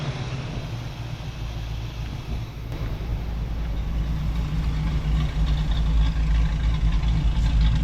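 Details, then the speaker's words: 1967 Camaro V8 revived after six years sitting, with a dirty carburetor idle circuit (previously idled on about four cylinders); quiet turbo-style mufflers; smooth, even low idle burble with no misses or knocks, healthy good idle. "Sounds good though. It's got a good idle. Nothing too radical."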